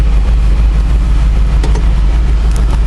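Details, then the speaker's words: Jeep JK Wrangler with 480 hp Corvette LS3 V8, automatic, 40-inch tires, with a noticeable cam: deep, uneven loping rumble at low speed with galloping beat, smoothing out above about 1000 RPM; normal lopey cam idle. "is it unmanageable no it's actually pretty docile it does remind me a little bit of the Hemi with the aggressive nature"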